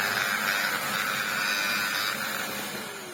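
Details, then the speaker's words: Electrolux power head opened with its lid off and plugged in without suction: a strained, wavering high whine with no steady note, fading as it runs down. The belt seems very tight, so the owner doubts the belt; the power head motor is failing. "That motor is not happy at all."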